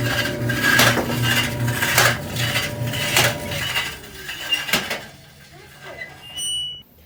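Harsh rasping scrape comes back about once a second with each drum turn; a loose panel is rubbing on the drum.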